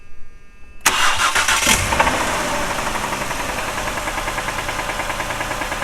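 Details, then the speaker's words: 2008 Ford Escape, 141,000 miles, 4,000 miles overdue for an oil change and low on oil with the oil light coming on: it cranks, catches and idles with a steady rapid knock; the engine is done and needs replacing. "Hear the knocking? That engine's done. That engine's more expensive than an oil change."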